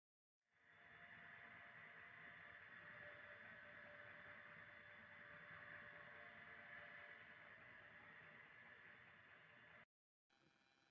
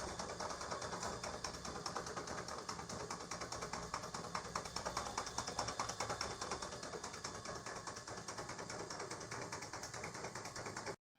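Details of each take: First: Donkey water pump after full rebuild, previously loud with a blackened impeller: quiet, steady hum with a soft whir, no knocking or rattle; running smoothly like new. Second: Worn donkey water pump before rebuild, impeller gone black: harsh rattling run with a fast uneven chatter over a loud hiss, so noisy no one could rest in the house; excessive running noise.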